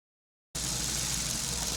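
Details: 2002 Ford Focus idling with a steady low drone and an uneven, slightly lumpy beat, a rough idle.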